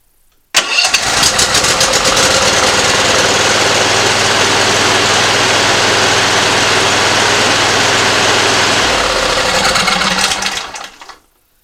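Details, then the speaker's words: Simplicity ZT2500 zero-turn mower, Briggs & Stratton Professional 724cc 24HP V-twin, after replacing the bad ignition coil: fires up and holds an even steady beat on both cylinders; running clean. "definitely running better now"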